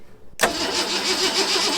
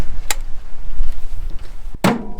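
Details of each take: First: Long-parked 1974 Ford F100 cranked by a button at the starter solenoid with starting fluid: quick cranking with a few sputtering catches that never keep going. Ignition works, but no fuel is reaching the carburetor. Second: 1974 Ford F100 4x4, long parked, started on starting fluid with choke open and unhooked: after some clatter it fires at once and settles to a steady, even idle with no misses; running properly.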